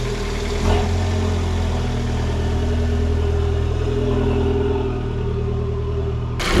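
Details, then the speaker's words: Turbo Dodge Dart after Eurocompulsion air intake and Madness ignition coil install: runs smooth and even, revs lifting slightly near end, no knocks or rattles; healthy, turbo spool and flutter audible. "performs already a pretty noticeable difference especially with that turbo hearing it spool up hearing the little flutters"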